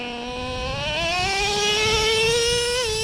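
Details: Traxxas Revo 3.3 nitro, warm, probe reading about 137°F on the first fin; high nitro scream climbs with speed, then the pitch drops sharply as the two-speed transmission snaps cleanly into second gear; normal upshift.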